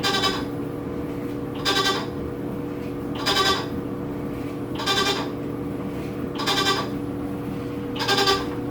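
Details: New Whirlpool washer model WTW4816FW hums steadily during wash while a nasal, bleating moan repeats about every second and a half; owner unsure if normal.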